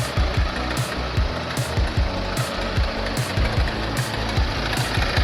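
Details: Motorcycle engine: heavy, uneven low knocks thump through the running engine under loud music; source unclear, owner treats it as a mysterious knock.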